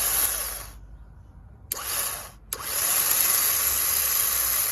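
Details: Pajero starter motor bench-tested, powered directly on the bench: high, even motor whir cuts out briefly, then spins up again smooth and steady; starter runs normally.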